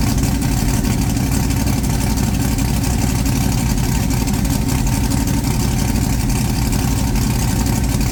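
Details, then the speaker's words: Blown big-block Chevy V8, just refitted in the ute, oil pump primed with a drill and timing set correctly, no coolant yet: deep, loud, lumpy idle with a steady rumble and no knocking or ticking; a normal healthy idle. "I actually just started it um did the timing all that sort of stuff um everything's running mint so which is great news"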